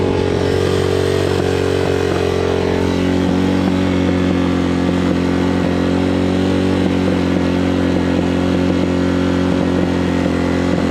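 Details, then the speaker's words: Hawk 250cc motorcycle after wiring harness replacement, running on half choke: uneven, stumbling beat instead of steady putter, bogs out, owner suspects carburetor/choke giving too much fuel. Rough idle. "There's something up with the carburetor. I'm not really sure what it is, but we're gonna have to get into it. You hear how it's running."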